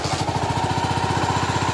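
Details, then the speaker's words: Honda GB500 single, kick-started on choke with no battery fitted and a cleaned carburetor: a quick, even idle thump with a faint steady classic-Honda whine, very quiet. Normal idle. "listen to that it is so quiet like it has a classic Honda wine all the stock bikes have that just sound to them"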